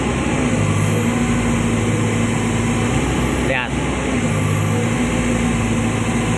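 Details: Komatsu PC200-10M0CE excavator diesel, about 3000 hours, history of CA2249 and CA559 faults, just serviced, P mode around 1800 rpm lifting the arm: steady even drone under hydraulic load, no dips or surging; engine pulls cleanly.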